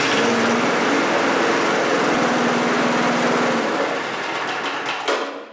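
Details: Briggs 3.5HP single-cylinder push mower engine (about 1978–1980) with diaphragm-operated automatic choke, after deck repair: quick even buzz held steady a few seconds then winding down; runs smoothly, normal running.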